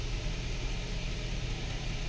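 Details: Nissan Patrol that misfires and stalls when braking or slowing, live data showing several cylinders misfiring: low, uneven idle rumble with lumpy beat; ignition coil misfire suspected, coils and plugs being checked.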